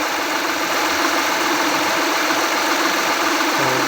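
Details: 2014 Honda Accord V6 petrol engine at cold start idle: busy, clattery knocking running through its steady hum.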